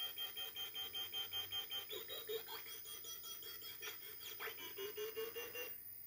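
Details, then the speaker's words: 52-year-old computer's magnetic core memory heard via bat detector microphone pointed at memory during fast CT reconstruction: quick regular chirping pulse over thin hiss; electronics silent, normal core memory access noise. "and if I point the microphone to the electronics I don't pick up anything at all so it is indeed the core memory that's making the sound"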